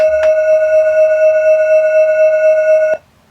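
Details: Roland D10 synthesizer during restoration for sound distortion and echo issues: a pure, steady mid-pitched test waveform holds about three seconds and stops cleanly, with no crackle, warble or distortion; this waveform plays correctly.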